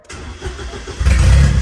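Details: Chevrolet Celta that used to be slow to start: a short crank, then it fires almost at once and settles into a steady, even rumble. It now starts cleanly on the first try.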